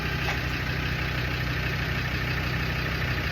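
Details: Land Rover Defender TD5 diesel, restarted after jump pack on low battery and priming fuel pump, running for brake bleeding (servo): steady low diesel clatter at idle, even beat about three per second, no misses or knocks; normal idle.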